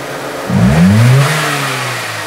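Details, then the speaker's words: Warm 2000 K11 Nissan Micra Sport, laid up ten years, idle hunting: revs swell and sink after fresh fuel and fuel system cleaning; surging persists and a throttle body is needed. "There She Goes here's the surging Here Comes The Surge la la la la work damn you"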